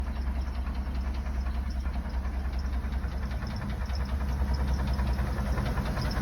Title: 1995 Dodge Ram 2500 HD 5.9l gasoline with what I think is piston slap